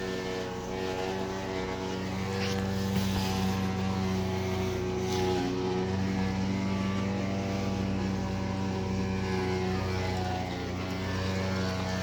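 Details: Electrolux washer: loud steady droning hum with strong low tones and no tumbling thumps; motor runs but drum isn't turning, and pause won't stop it.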